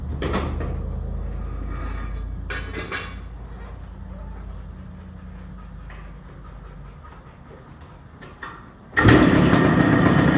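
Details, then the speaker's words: 1973 CZ 250 two-stroke, partially restored with electronic ignition and Mikuni carb replacing Jikov: kick-started, fires and settles into a crackly, ringing idle about four pops a second; normal two-stroke start and idle. "And I'll kick-start it and get it running so everyone can see and hear it as well."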